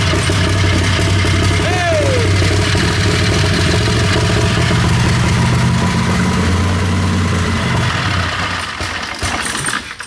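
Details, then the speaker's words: Fuel-injected turbo Harbor Freight Predator 670 V-twin on drag rail, newly tuned EFI: runs loud and steady, then revs climb out of the tuned map, hunt and die to a stall; ignition timing pulled out, lean condition or fuel pressure loss suspected. "So it goes up, and then it tries to lower itself down, and it, for some reason, pulls all the ignition timing out."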